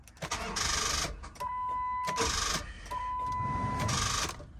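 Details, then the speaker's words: Rusty Copart car, likely a donation, with an aftermarket radio: three short cranking bursts with a whine, turning over but never catching; crank no start. Battery seems strong, and a bad starter is suspected but unconfirmed. "well not completely dead but [Music] it almost sounds like a bad starter because it sounds like battery's got a lot of juice but oh I guess we're not going to start this one"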